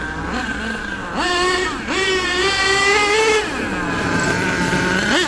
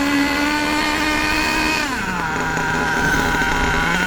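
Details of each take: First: HPI Savage nitro RC truck with LRP ZR32 engine, after running too lean and backing the high-speed needle a quarter turn: high buzzy revs rise and fall cleanly with no bog. Mixture well tuned. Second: HPI Savage nitro RC monster truck engine, warmed up, high-speed needle too rich: high buzzy note that sags and drops in pitch instead of picking up, with lots of smoke. Rich running, needing the high-speed needle turned in about 1/8 turn.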